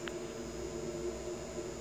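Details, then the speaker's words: Anet A8 3D printer extruder stepper motor commanded to move from the board's extruder port: faint steady electrical hum with no stepping; motor energized but not turning; motor runs on the X-axis port, owner suspects locked up. "sounds like it's trying to but it ain't doing anything and I can even try to speed it up you know maybe it's just locked up or something"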